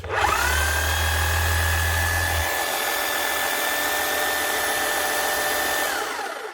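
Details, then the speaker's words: 2008 Makita HM0860C chipping hammer after teardown and new bearings; it formerly ran rough with weak hammering. It now spins up to a steady, even whine with no rattle or grinding and sounds much better. "jackly does sound an awful lot better way better than what she did"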